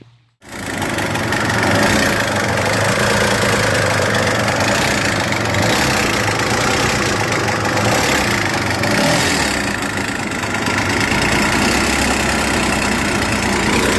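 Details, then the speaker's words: 1996 GSX jet ski, 747 cc two-stroke, unrun about four to five years and left under pine trees: a raspy, lumpy, uneven beat of about three per second, because it is running on only one cylinder. "only running on one cylinder"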